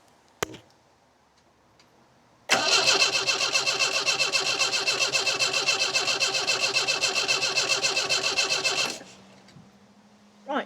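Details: MGB cranking with the microphone near the engine: the starter turns it at an even three to four beats a second for six seconds but it never catches. Owner suspects low compression or no fuel; the fuel pump was heard briefly then stopped, and spark was seen.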